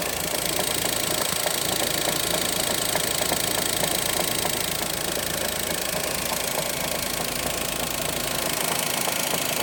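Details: Daihatsu Mira idling with sharp metallic tapping of roughly four knocks per second over a steady idle; a clear mechanical engine knock, cause suspected but not confirmed.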